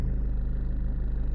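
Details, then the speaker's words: Land Rover Freelander 2 restarted after throttle body fix, old unit's internal cog had disintegrated and rattled and it was full of oil; steady even low idle, regular firing, no stumble; engine seems happier. "Let me start it up again. Oh, this thing seems happier."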